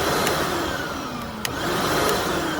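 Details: Hoover WindTunnel Plus self-propelled upright vacuum, around 2008, after a mushy power switch was freed with penetrant: steady, even motor whine with a constant airy rush and no pitch wobble or grinding, so it runs normally.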